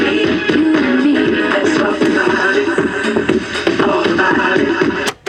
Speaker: Sounds like the head's a little bit dirty on this one, or the azimuth's off, or the head's worn out.